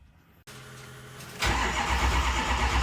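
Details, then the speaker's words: Ford 6.0 diesel on a cold, rainy day, cranking after a new IPR valve was installed. The starter cranks at a steady, rough, even beat but the engine never catches. Crank, no start: no base oil pressure, with ICP reading only up to about 5 psi, though oil fills the oil filter cap. "it all right guys so put the new ipr in truck still don't start um no base oil pressure"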